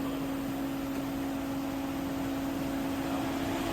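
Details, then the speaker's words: 2015 Toyota Camry 2.0 with U761 automatic, owner complains of noise, hum on lift-off as if held back: steady low hum while driving; left front caliper seized, left disc hot versus right; brake drag. "заклинил левый тормозной суппорт на переднем колесе диск горячий по сравнению с правым"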